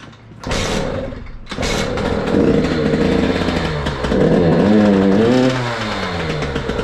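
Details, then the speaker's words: KTM SX 85 two-stroke, just bought after standing very long, start in snowy weather: fires, then revs raggedly, climbing and sagging, stumbling on throttle; stalls at idle without choke and spits oil from the muffler. Carburetor suspected dirty; to be cleaned. "chce się wkręcać bez ssania gaśnie no i taki oto objaw z tłumika olej rzyga"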